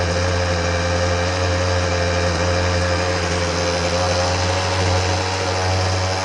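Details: Husqvarna 125B handheld blower that would not start or ran poorly, test run after repair, primed and choked: a small two-stroke buzzing at a steady, even high idle with a firm low drone and no misses or hunting; it runs cleanly.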